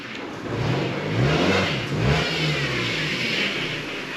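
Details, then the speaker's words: 2nd-generation Ford Focus 1.6 petrol creeping along: faint high power steering pump whine at the front from low fluid, leaking through a split, aged power steering pressure pipe. "You can probably hear that pump whining a little bit as the fluid's getting a bit low due to this power steering pressure pipe split."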